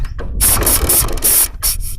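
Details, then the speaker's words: Royal Enfield with the carburettor flange rubber fitted upside down by a mechanic: sharp pulsing air hiss over a low, uneven idle, and the engine keeps stalling; carburettor intake air leak before the rubber was refitted. "ये देखिए friends, ये बार बार बंद हो रहा है और इसमें एक हवा की आवाज आती है।"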